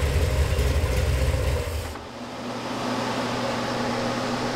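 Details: Budget Gen VI L29 454 Chevy V8 with factory ZZ502 hydraulic roller cam, running on an engine stand. Deep strong rumble, then a steady even idle with no knocks or ticks; sounds healthy, stays near 180° with a fan and factory four-core radiator.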